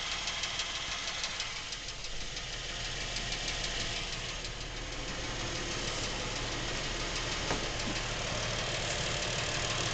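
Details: Lincoln MKX with 7,000 miles, knocking since new and getting worse; steady idle with regular light knock about three per second, from back of the motor away from cam phasers and chains; dealer heard nothing, source not pinned down.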